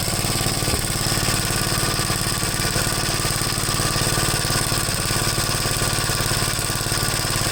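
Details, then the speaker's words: Gravely 73 C8 single-cylinder engine after a top-end rebuild: rough, uneven running with irregular exhaust pops about three a second; misfire suspected to be ignition, possibly the plug wire or the magneto, not confirmed. "i don't know to me definitely sounds like an ignition problem this fire"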